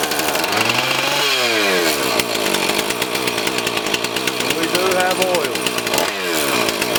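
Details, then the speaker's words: Husqvarna 450 X-Torq chainsaw after carb diaphragm, primer bulb, fuel line, filter and rope rotor repair: picks up cleanly, revs rise and fall smoothly with throttle and hold without stumbling; runs normally. "now we're going to fire the unit up and see if the run the unit of run and we're going to look for a couple things we're going to make sure the unit of throttle up"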